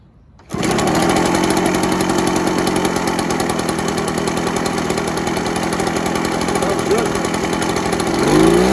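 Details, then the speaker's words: Echo PB413H backpack blower two-stroke with aftermarket Chinese carburetor, after fitting a new NGK spark plug: catches quickly, steady idle without burbling, climbs cleanly to high revs; normal idle and revving, much better than before. "Sounds a lot better with the NGK plug. The idle was perfect, no burbling or anything, straight up to high, smooth, no burbling."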